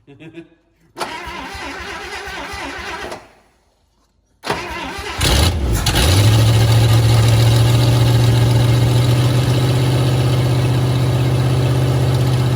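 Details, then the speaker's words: 1954 Buick Roadmaster, 322 nailhead V8, first start after long storage: it cranks, catches and settles into a loud steady run with a low pulsing drone. Weird noises are present and their cause is unknown; earlier screeching was the wipers. "Makes really weird noises. I know. That really surprises me though."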